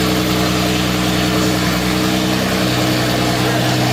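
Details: 1952 Jaguar XK120 FHC six-cylinder, first start in 40 years after Lucas C45PVS generator rebuild, starting carburetor in use, good oil pressure: steady, even idle with smooth low hum, no knocks, misses or rattles; running sweetly.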